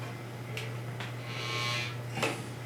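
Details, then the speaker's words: Faux electric fireplace: a steady low motor hum with a metallic buzz and ticks as sheet metal panels vibrate from a poorly isolated motor held by three screws; a flame cutout has already been bent, with noise persisting. "And you can hear the other pieces of sheet metal that are also vibrating. Basically, they just didn't do a really good job of isolating the motor."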